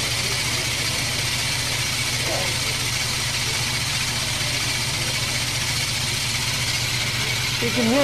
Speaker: it's not grinding quite as heavy anymore we'll put a little more on it's like un coach seen it wore out the compound and that's doing the same thing on this one